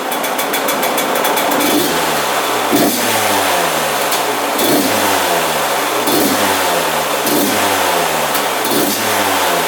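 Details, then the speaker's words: 2001 Yamaha YZ125 two-stroke after rebuild, carb float seat checked and air leak fixed that caused high idle: repeated sharp throttle blips each falling straight back to steady idle within a second. Normal idle return after revving. "see how the idle comes back down instantly now that's perfect"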